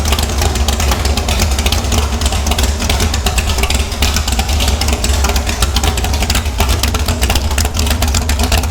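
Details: Airboat engine after the boat was wrecked gives a loud, steady low drone with even firing and no knocks or misses; sounds good, smells like it's running a little rich.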